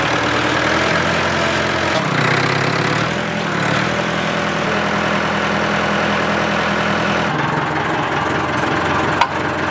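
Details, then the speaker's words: Massey Ferguson backhoe, year unknown (probably 1970s): steady low diesel clatter holding an even note, no misses or knocks; starts instantly, smooth healthy idle, motor in great condition. "Like I said, it runs really, really well. Like, second it gets cranked, boom, it's on. So idle smooth, motor, great condition."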